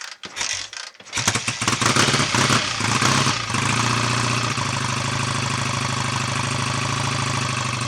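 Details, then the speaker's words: BSA A65 Lightning twin, first start after full engine rebuild, Pazon electronic ignition just nudged to advance it: catches after a few coughs, revs briefly, settles to a steady slightly lazy idle; timing still somewhat retarded. "so that'll advance it a bit whether it'll be enough or not see in a moment"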